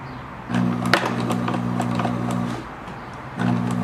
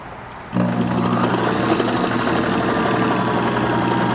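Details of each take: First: 1974/75 Kenmore 1813 sewing machine jamming after the stitch width was shifted: motor hum in bursts with sharp clacks and labouring. The bobbin case has loosened enough to pop out on its own. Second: Kenmore 1813 sewing machine (1974/75), cleaned, oiled and rust removed from hook, sewing a decorative cam stitch: even motor hum with steady needle clatter about four strokes a second; smooth, free-running, nothing binding.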